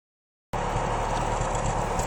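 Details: 1993 Isuzu Amigo 2.3 at idle: irregular putt and stumble in the exhaust beat; valve clearance adjusted, plugs, wires, cap and rotor changed, choke adjusted, and the misfire turned out to be a lean condition. Lean misfire at idle.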